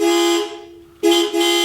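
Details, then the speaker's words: Turbo Colt Vista wagon horn tested on first power-up after finishing engine bay and ECU wiring: two clear honks, the second held about a second, bright twin-note tone; horn works fine. "the headlights work and the horn works it's not a bad horn"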